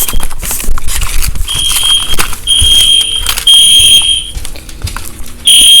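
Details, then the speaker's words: A newly installed first home fire alarm system keeps giving false alarms: a shrill, high alarm tone cuts in and out in bursts with nothing setting it off; cause not yet found. "Hey guys, for some reason, as you can hear in the background, I keep having false alarms now."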